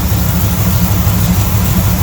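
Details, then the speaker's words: 1978 Jeep J10/J20 engine idling after its blown header gaskets were replaced: a steady, even low rumble with no more exhaust popping or ticking. "no more popping no more exhaust sounds good perfect kitten"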